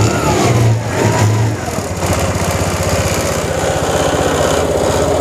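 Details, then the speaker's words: TVS Jupiter BS6 scooter, starting problem traced to faulty fuel pump return valve losing pressure, valve blocked as makeshift fix, pump fine, no filter; steady even single-cylinder putter, regular pulses, no misses or stumbles. Normal running. "तो ये start हो गई है, मतलब ये पूरा जो जुगाड़ है ये काम कर रहा है।"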